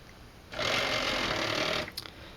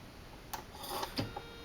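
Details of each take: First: Salvaged CD/DVD drive number two from an e-waste bin, powered on a test rig: smooth high whir rises quickly, holds steady over a second, winds down cleanly; motor spins strongly with good torque, normal. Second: CD/DVD drive rescued from an e-waste bin, at first power-up on a test rig: scattered clicks and a short whir as it struggles to spin up, then it works on the next power-up. Optical drive struggling at power-up, cause unclear.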